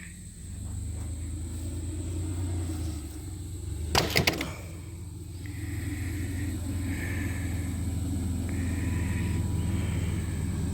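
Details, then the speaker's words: Truck after exhaust repair, idling: low even engine rumble with no rasp or blowing from underneath, much quieter than before; normal running. "Alright, I got the exhaust fixed on it. And here it's a lot quieter."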